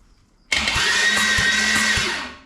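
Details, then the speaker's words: Junkyard Holden 253 V8 bound for a turbo build, turned over on the starter before its first start while checking each cylinder: steady cranking beat with evenly spaced, alike compression pulses; compression even on all eight cylinders. "Sounds like we've got compression on all these cylinders, guys. Who would have thought? Not me."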